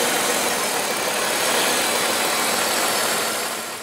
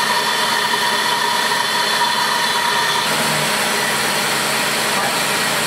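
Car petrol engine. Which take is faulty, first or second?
second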